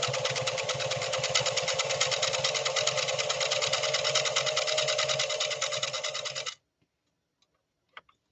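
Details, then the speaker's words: Restored 1970s Singer Fashion Mate Model 362 sewing machine sewing: fast, even mechanical clatter about three beats per second, steady then stopping cleanly; smooth healthy running. "So if you've had a bias against 1970 machines as far as them being quality engineered and being smooth runners, you might change your opinion after you listen to Ronnie's machine going through this next sew off."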